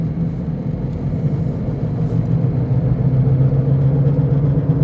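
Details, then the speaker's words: 2006 Toyota Prius, 205,000 miles, while driving: low droning hum under road rumble growing with speed; owner suspects bad wheel bearings, reported as grinding, humming and vibration that new tires didn't fix. "I bought a Prius a new to me Prius with uh 205,000 miles and it's very noisy really really noisy um I suspect that the wheel bearings are bad"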